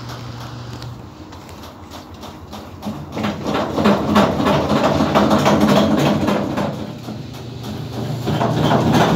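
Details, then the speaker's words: Samsung washing machine knocking heavily during spin, about three thumps a second, and stopping; suspension kit damaged from running unlevelled, tilted to one side. "aquí lo que tenemos es una falla originada a que el kit de suspensión de esta lavadora ya hace daño"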